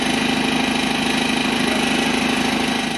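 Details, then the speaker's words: BMW 118D F20 diesel at startup/idle, with severe vibration and a coarse, buzzy metallic rattle: the DPF bracket broke off and the exhaust flex pipe/front neck cracked; repair by welding. "118D 차량이 지금 이상한 소음이 나서 입고가 되었고 지금 떨림이 굉장히 심하게 나고"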